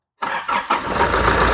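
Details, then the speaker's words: Nissan Urvan E25 ZD30 diesel with VP44 fuel pump; short crank, catches within half a second, settles to steady even idle, no check engine light. Healthy start. "Oke, logo engine tidak keluar. Dan engine pun cantik."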